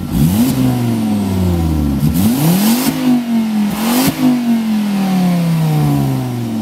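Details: Volvo S40 T5 2.5 L inline-five, hard repeated revs: a loud raspy ripping note rising and falling with throttle from a blown flex pipe leaking after the turbo, like a catless turbo outlet.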